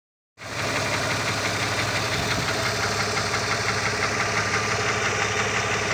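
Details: Opel Omega B engine at steady idle: light, fairly regular ticking knock about three per second, from the exhaust camshaft on the second cylinder head.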